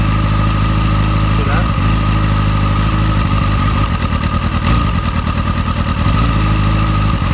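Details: Motorcycle with a rough idle for the past few days, before the spark plug change: a lumpy, uneven beat with revs wavering up and down. The owner suspects the spark plugs; the cause is unconfirmed.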